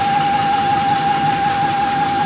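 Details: 2004 Ford F150 Lariat engine with a steady fairly high constant-pitch whine over the running engine, source unknown; also vibration and white exhaust smoke, unchanged by new spark plugs; started after truck was left on low fuel overnight.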